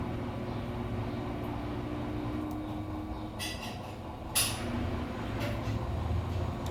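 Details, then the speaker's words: Samsung washer-dryer that had been noisy and jumping, tested on a spin cycle after both shock absorbers were replaced: a steady, even, low drum rumble with no banging, so it now spins smoothly. "hora dessa ele já tinha barulhado barulhado já hum é não barulh não que agora tá bom"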